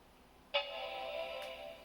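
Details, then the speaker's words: Macintosh PowerBook 180c at power-on, tested with the LCD that has a damaged cable connected: a single clean chord rings about a second and fades evenly. The startup chime and backlight are good, but that screen is confirmed dead. "all right so we got a good backlight chime yeah that's done"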